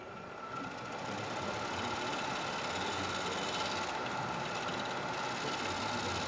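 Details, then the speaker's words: Wood lathe cut on a stone pine platter gives a rough, fast rattle instead of a clean hiss where the wood density changes at a knot, so the applied pressure is no longer right; tool chatter. "you give uh a pressure and where it changes the pressure is not the right pressure. So it starts immediately to um shatter here in this seven. So it's it's a little bit difficult."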